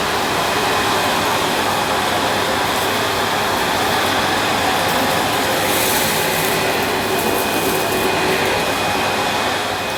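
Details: Panasonic MC-E862 bagged cylinder vacuum, bought new in box, picking up dirt on deep pile carpet: a steady, even motor rush with a smooth airy hiss and no rattles or pitch wobble; a relatively quiet, good performer running normally.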